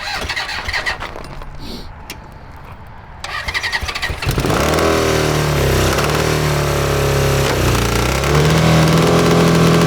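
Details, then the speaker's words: Honda CB750 DOHC 750cc engine, top end rebuilt, in a cross kart: catches after several tries and idles unevenly with a lumpy, stumbling beat like a misfire; suspected failing electronic ignition pickup. "sounds awful yeah we've been having this problem um maybe we can try swapping over the ignition from the old engine inputs the uh uh pickups okay because we might have one going bad"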